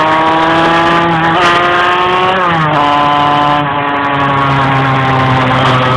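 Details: Engine struggling to climb in revs while driving: the pitch stalls and dips twice before picking up again; engine hesitation when revving, cause unclear.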